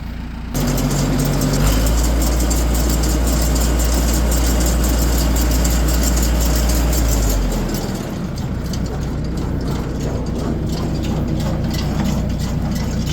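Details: Tractor running the baler after its broken baler belt was relaced and pinned. Steady low drone with the baler clattering evenly, no slapping or knocking; the fix works.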